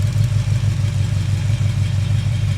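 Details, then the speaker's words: Chevy 350 V8, intake valve being adjusted while running: deep idle with a slightly uneven, lumpy pulse as the pumped-up lifter hangs the valve slightly open; normal, and it smooths out as the lifter bleeds down. "Now it's hanging the valve slightly, but that's perfectly normal. And you're going to hear it smooth out here in a But minute."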